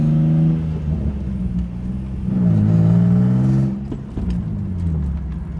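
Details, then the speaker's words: Car with 140,000 miles driven over a rough, bumpy street after front-end suspension components were tightened: engine rising and falling, no clunks from the front; steering still pops slightly turning left to right. "So normally right now it would be like clunk, clunk, clunk, clunk, clunk, clunk, clunk, clunk a million times, but sounds good."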